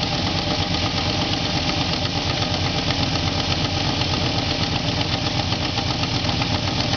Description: Some engine noise i got when turning on my truck after class.